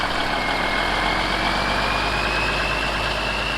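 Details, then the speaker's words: International cabover CO9670 truck with 350 Big Cam diesel and new injection pump: heavy steady even rumble with faint rising whistle, no misses or knocks, running great. "got it man it's running great hear that you guys"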